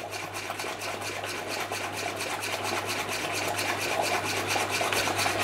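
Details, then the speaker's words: Stuart Turner piston water pump after fitting a new home-made aluminium pulley on its 1425 rpm motor: even strokes a bit over two per second over steady motor hum, higher flow, measured about 260 rpm versus rated 240; gland still leaking. "oh yes that's definitely faster we've got a much higher rate of flow see what this is doing"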